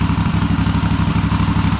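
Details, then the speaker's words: Cub Cadet Super LT1554 lawn tractor, 27 hp Kohler V-twin, 500+ hours, after head gasket replacement and carb cleaning, throttle disconnected from governor: even quick low thumping, smooth steady idle; carb judged cleaned correctly, governor still to sort. "And we have a very nice idle. All right, so I think we got the carb cleaned correctly."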